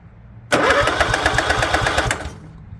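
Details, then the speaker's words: Craftsman lawn tractor, Kohler 16.5 engine, connector unplugged, all engine wires unplugged except starter and battery: under two seconds of even rapid cranking with no firing; no spark, no start, shroud tins to come off next. "I haven't plugged every wire that goes to that engine and except for the starter wire battery wire and uh cannot get spark"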